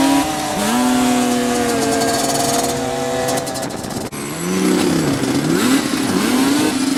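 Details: Yamaha Banshee two-stroke after fixing clogged carburetor jets (it previously ran then died, leaked fuel, wouldn't restart): revs climb and fall cleanly with a crisp ring, then settle back without stumbling; carburetor fuelling properly.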